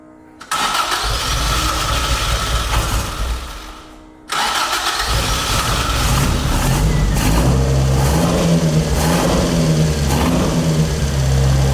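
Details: Carbureted Toyota AE86 build after repairs for smoking: it cranks briefly, fires, then settles into a steady idle with a few light blips and runs evenly without misfire or stumble; the smoke is now reduced.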